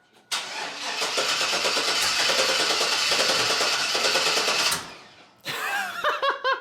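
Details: 1999 Chevrolet Silverado Z71 5.3L V8 on first start after longtube headers, open exhaust: it fires up loud and uneven with a lumpy, stumbling beat, then shuts off. Check engine lights were expected. Observers thought it didn't sound like a misfire; the EGR was then refitted and it was re-grounded, possibly at the alternator.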